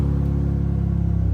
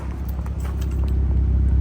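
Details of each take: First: 2006 BMW 325i idling with the clutch in, while a crank sensor fault was still unresolved, with unmuffled straight-pipe exhaust: deep, loud, steady low drone with a fast pulsing beat; the exhaust is far too loud and a muffler is planned. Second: 2006 BMW 325i idling after its no-start crank sensor problem was fixed (sensor was unplugged, new one fitted): low, even, soft rumble holding steady without roughness or ticking; a quiet, healthy idle.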